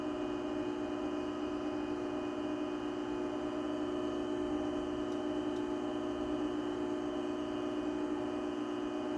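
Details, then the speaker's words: 20-year-old, heavily used garage door opener: a low, even hum holds one steady pitch with no knocks or grinding; it runs quietly and healthily, quieter than a brand-new DC belt-drive opener. "So you can hear that 20-year-old opener, even though it's been used a lot, is quieter than this brand new opener."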